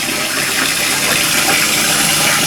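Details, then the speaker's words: Toilet cistern refilling after flush, after replacing the float valve's 32mm diaphragm washer that caused months of loud noise: steady hiss and rush of water, no hum, whistle or vibration; float valve refills quietly, fixed. "There you go, no noise at all. All you can hear is the water filling up."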